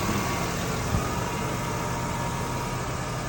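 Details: 2006 Ford F150 at idle after replacing the faulty fan clutch that caused high A/C pressures; pressures now 40 and 250, pipes cold. A smooth, even idle with a steady fan hum and no roar, rattle or knock.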